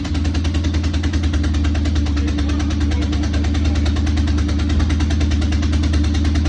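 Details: Corvette idling with major exhaust leaks; a sharp, rapid ticking puff rides over the rumble on every pulse; sizeable exhaust leak, though it runs.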